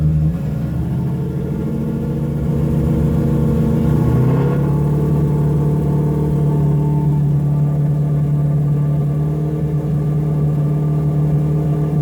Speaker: even just throttle response it's got even better guys let's just blow me out of the water